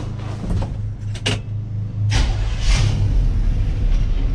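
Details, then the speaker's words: 1970 Chevy K10 barn find, crate 350 V8 with automatic, unstarted for 21 years; cranks, fires and rumbles unevenly, then sags as the carb runs dry, fuel starvation, needs fuel poured in. "it wants to run. Still not enough in there."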